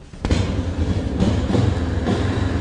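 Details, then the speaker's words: 1965 Honda 450 twin, slightly warmed up with the choke off, starts on the first kick. It settles into a steady, even twin-cylinder idle with no misses and runs normally. "not bad there you have it 1965 honda 450 let's uh she definitely sounds like a honda"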